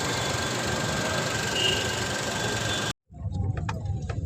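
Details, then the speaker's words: CNG engine after knocking repair, just restarted: smooth, even idle with a steady hum and no tapping or knocking over several seconds; normal healthy idle. "Check कर सकते हैं आप sound सुन सकते हैं आप गाड़ी start है sound बहुत अच्छा है गाड़ी"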